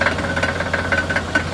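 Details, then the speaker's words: Mercedes CLK55 at idle, stationary: steady low idle hum broken by repeated hollow clunks about every fifth of a second from the rear, suspected exhaust; only happens at idle when not moving, gone while driving. "It only does it at idle when the car's not moving. When the car is moving, you don't hear it at all."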